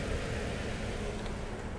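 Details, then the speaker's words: 2007 Toyota Yaris that shook at idle with battery light on, after maintenance fix, charging at 13.3 volts: steady, even low idle with no stumble, miss or hunting, slight belt screech; engine idling smoothly and healthy. "hey it started just mine seems to be idling beautifully and we got a little bit of a Bell screech but that's not our concern for today"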